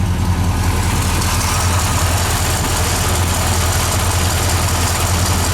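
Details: C30 383 stroker V8 on its first start after a flexplate replacement, with ignition timing possibly still needing adjustment: a steady, deep idle with an even low pulse and no knocks or rattles. Normal idle.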